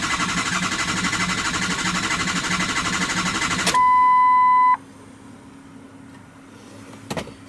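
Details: 2003 Ford F250 6.0L Powerstroke, after an oil cooler replacement and EGR delete: starter cranks at a steady even beat for a few seconds but never fires; FICM sync reads 0 engine-off and 1 cranking.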